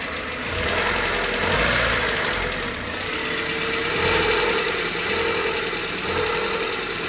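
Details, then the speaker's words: Warm petrol engine in an inexpensive Honda Civic idling after a drive, with a dull, uneven rod knock about three a second under a hissy exhaust, echoing loudly off a nearby wall. "you can hear the echo real well listen to that that's a rod knock here we go now we can really hear that rod"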